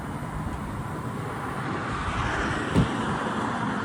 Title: BMW R NineT rough idled…. Any ideas?